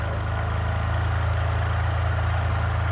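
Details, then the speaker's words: Bajaj Discover 150 with its faulty sensor-based automatic choke rewired to a manual switch, choke switched on: single holds a steady even idle a little quicker than normal with no hunting; choke holding the raised speed. "तो theoretically अब क्या होना चाहिए, जब मैं इसको press करूंगा तो आरपीएम बढ़ना चाहिए, और वो कंटिन्यूअसली तब तक बढ़ा रहना चाहिए जब तक मैं स्विच ऑफ नहीं करूंगा।"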